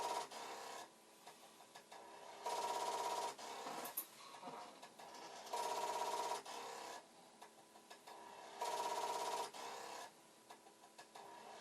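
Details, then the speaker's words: Commodore 1541 floppy drive (fitted with two unknown added switches) running a repeated head-seek command: a rapid buzzing rattle about every three seconds as the head bangs, light never starts flashing; the drive is not coming ready. "see what it should do if it suddenly decides it's okay is the light should just start flashing and the head banging should stop but it is not happening"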